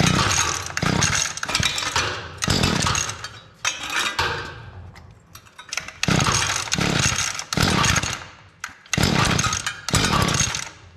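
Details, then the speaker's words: Mantis two-stroke tiller that fired up and died, on fresh gas, choke on: revs in bursts then sags and hunts instead of settling to low idle; owner suspects the carburetor is too rich, low-speed screw just over 1.5 turns out; poor idle. "So it seems like it's running all right. It's just not idling at a low RPM. It seems like it might be too rich."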